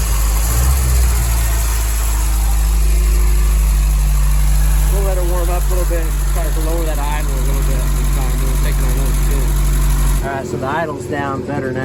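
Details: 1961 Triumph TR3A after thermostat housing work, started from the solenoid starter switch in neutral: low steady idle around 700 rpm with an even beat, no ticking or misfire; settles smoothly and runs clean.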